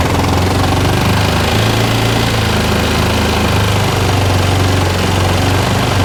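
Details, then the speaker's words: 2013 Bennche 500 single-cylinder UTV, brought in for knocking and smoking, idling in the shop with faulty O2 sensor: loud, deep, steady thump, no extra knock; motor sounds really normal, smoke filling shop. Normal idle. "The motor sounds really, really normal."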